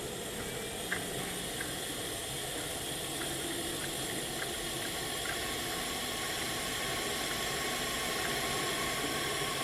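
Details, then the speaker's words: Skoda Octavia vRS engine on leak-down test with gauge pressurised, valves closed: steady airy hiss of air blowing past the rings straight into the sump. "it sounds like it's going straight into the sump"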